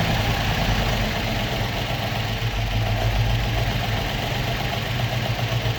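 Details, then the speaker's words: Opel Manta with Ascona front, first start after about 20 years stored, still on old plugs and points: ticks over on its own at a steady, even idle with a low rumble and no misses; normal idle. "bearing in mind still on the old plugs and everything there so there we go but that sounds like a bit of a beast Happy Days"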